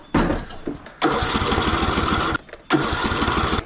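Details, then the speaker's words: Cub Cadet riding mower after a new ignition coil, on choke: two bursts of steady starter cranking that never catch; cranks but won't start, owner suspects no fuel. "Well, let's just see if it'll start on carb cleaner. All right. So, I might not be getting fuel."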